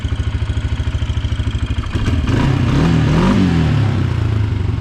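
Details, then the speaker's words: Kawasaki Brute Force 300 ATV (Kymco engine), previously hard-starting and backfiring with a black plug, after valve adjustment: even single-cylinder thump at idle, then a sharp blip climbing cleanly and settling without stumbling; no leaks, runs much better. "so it's not leaking at all and it seems to be running a lot better than it did it's got some get up and go"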